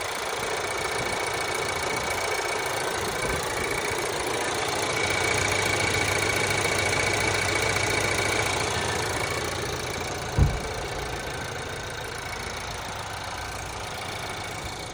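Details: Changan CS55 Plus, 8,000 km mileage, cold idle at +3°C: steady light knock about three or four a second over an even engine hum; engine knock, cause not yet known.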